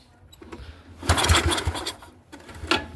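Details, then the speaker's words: Neglected Yamaha 624 snowblower with no fuel: carb cleaner sprayed into the intake, choke closed, key on. The starter grinds briefly with a few weak puffs, then dies off; it cranks and almost starts but won't run. "Let me spray some more carb cleaner in here, okay, folks? I gotta shut the choke. Make sure I got that on tight. See, it almost started."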